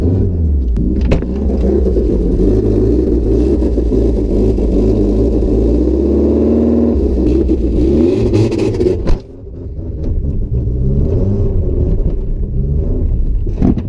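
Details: BMW E36 318is saloon with starter that was sticking, after hammering starter and jump start: engine catches and runs steadily, smooth rev rise and fall midway, no knocks or misses; running normally.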